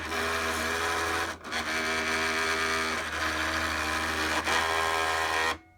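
A steady whirring drive with a harsh, rasping grind running through it and brief dips, then it stops; the mechanism is grinding.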